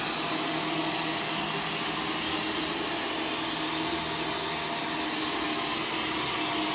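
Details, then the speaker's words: Arm & Hammer carpet powder vacuumed up in carpet mode clogs the cyclone and filter; loud steady hissing motor whine with strained, choked tone and no airflow relief, the motor choking from a plugged filter. "you could hear the machine choking when it was running and yeah that's not going to be healthy for your motor even if it doesn't actually get any debris through it so not good either"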